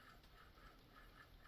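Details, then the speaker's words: Removed alternator from 2008 Ford F-350 6.4 diesel, hand-spun: faint gritty rumble with rhythmic rasping as it coasts down; worn, rough alternator bearing. "yeah you can hear the roughness in there"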